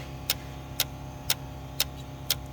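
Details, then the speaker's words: 2004 Dodge Grand Caravan 3.3 that won't start, setting P0320 crank sensor codes even after the crank sensor was replaced: sharp, even clicks about twice a second as the fuel pump and ASD relays cycle repeatedly. A bad camshaft sensor is suspected. "That right there is a fuel pump relay. That's clicking. That there is the ASD relay. It's clicking. Never experienced that before."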